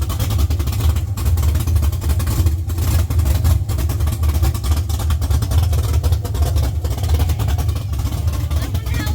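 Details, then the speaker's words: LS-swapped Chevy C10 on Holley Terminator X, first start after sitting 3 years: deep, heavy V8 rumble that stays steady through a few throttle blips; fires and runs cleanly. "All right, gang. That was the first start."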